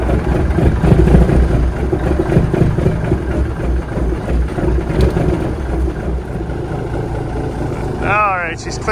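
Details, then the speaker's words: Peterbilt 359 with an old Cat diesel, started cold after about 3 weeks outside: lumpy, uneven idle with irregular beats right after start, gradually clearing. Good oil pressure; cause of the rough running is unknown. "she's clearing up now a little. Didn't like that very much."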